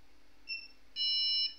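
At power-on one short beep, then a longer steady beep of about half a second, the startup code for missing or faulty memory.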